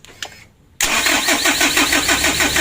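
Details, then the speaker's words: HDV 2015 diesel engine before Bosch injection-pump repair: the starter spins it with an even chug, about eight compressions a second, through a long crank and throttle, but it never fires. A faulty Bosch pump or air in the fuel is suspected. "kita tes dulu kita hidupkan kita gas ini ya yuk baterai sebentar di starter pertama panjang tidak mau hidup"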